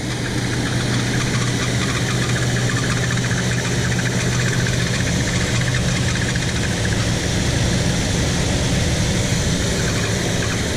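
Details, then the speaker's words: 1975 Chevy C10 with factory Quadrajet carburetor, warm, idling high at about 1600 rpm after a carb rebuild and new intake gaskets; owner suspects unsealed secondary throttle blades; light rattle from a loose power steering bracket. "more than likely did I not properly seal the secondaries that would be a bummer but we gotta find out so let's start it up and give it a shot it's idling pretty high"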